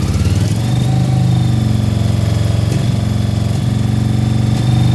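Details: Honda PC800 with previous-owner rebuilt engine, low compression (110 psi front, 130 rear, spec 150), misfiring above 2600 rpm: uneven exhaust beat with dropping, stumbling pulses; suspected exhaust valve, unconfirmed.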